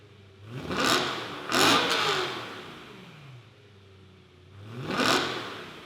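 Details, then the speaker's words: E90 BMW M3, before clip with only a resonator delete, before fitting a Turner valved catback: three sharp throttle blips over a soft idle, ragged and crackly on the low-rpm rise; known breakup not yet sorted. "but on low RPM, when I first blip it, it breaks up. Hasn't been an issue. I'll probably sort that out sooner than later, but if you guys hear that weird like break up in the exhaust, that's what that is."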